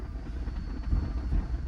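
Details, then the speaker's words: 280k-mile C5 Corvette V8, six-speed, at auction, needing throttle pats to stay running: low steady rumble with no knocking or ticking; engine sounds solid and healthy though dirty. "and you could hear the engine to me like sounds pretty solid but there is a lot of trash and dirt in this engine too"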